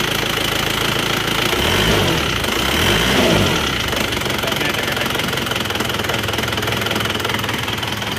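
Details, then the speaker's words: Isuzu Panther diesel after rebuild for blow-by caused by coolant loss, with cast liners and old pistons: even, steady clatter swelling briefly on blips and settling back smoothly; healthy, no smoke, oil filler breathing fine. "Lur, untuk suara mesinnya seperti ini menggunakan liner cor dan sefer lama itu kita gas-gas ya. Lihat dengar suaranya. Halus ya suaranya."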